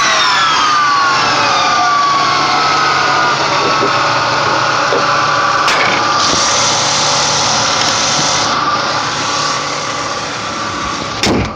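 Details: Ford Mustang V6 with a clear high-pitched, turbo-like whine over the engine that slides down with revs; owner thinks the alternator is good, source not confirmed.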